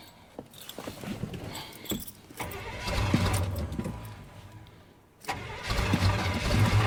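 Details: Chevrolet Suburban (rings said to be shot) after its wiring was reconnected: the key clicks, then long even starter cranking that never catches. Crank, no start; the owner plans new battery terminals and another look at the distributor.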